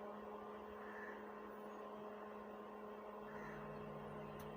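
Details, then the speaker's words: Stranger PBT701 amplifier after repair: line input connected, volume low. Only a faint steady mains hum, no crackle or buzz. The earlier noise is gone and it works normally. "यह देखिए अभी कोई आज नहीं है आज ठीक है"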